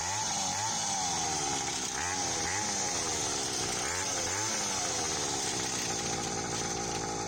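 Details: Restored Hawkmoto 49cc two-stroke kids quad, fitted with a new NGK BM6A plug and pull-start cord, case and chain fixed, first outdoor start: a high buzzing run with a few throttle blips, no misses or knocking; running healthy.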